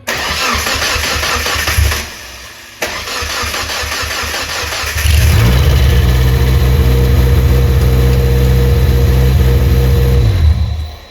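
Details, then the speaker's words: Mazda Protege (Mazdaspeed) turbo build, cranked about two seconds with turbo oil feed line routed into a bottle to check oil flow (oil present): harsh gritty crunching under fast cranking rhythm, then catches and runs; failed turbocharger bearing, turbo to be rebuilt or replaced. "I know you guys heard that crunching at the end. That was 2 seconds starting, but you see we got oil, so that's not an issue."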